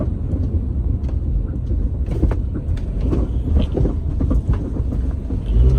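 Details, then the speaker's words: Honda Element driving: irregular metallic taps and clunks over road rumble from worn front stabilizer (sway bar) end links; replacing end links and bushings removed the noise. "It was happening in the front, which I'll show in this clip real quick. This is what it sounds like."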